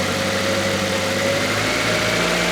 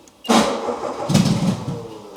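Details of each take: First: Stored project car that still needs a cam belt, brake work and some electrical work, started expecting it to run: steady, even idle with a smooth low hum and no knocks, misses or hunting. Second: No-start on an old project car: engine not firing, so fuel is poured down the throat to test fuel versus spark; it catches suddenly into a ragged, surging run, confirming a fuel supply fault, not spark.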